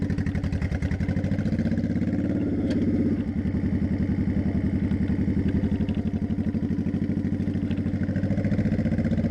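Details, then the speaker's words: 2002 Honda Shadow Aero 1100 after carb kit (new jets, shims), GoPro audio while riding at low road speed around 35 mph: loose, regular V-twin thump, steady through light throttle, no popping or misfires; running cleanly. "But anyways, let's take it out on the highway. You can hear what it sounds like when it runs."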